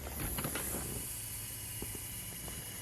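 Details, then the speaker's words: Newly turbocharged ambulance build at first start on high idle; steady high hiss of escaping air over low engine rumble, traced to a loose screw on the turbo pedestal, oil also seeping: air leak hiss. "What is that leak? That doesn't sound good. We've got air coming out somewhere."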